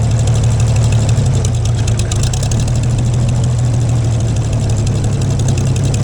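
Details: Gleaner combine gasoline engine after its first start following a carb rebuild, starter rebuild and two straightened push rods. Deep, steady, even low rumble with no knocks or misses. Runs better after blowing exhaust debris, suspected a mouse nest; normal idle.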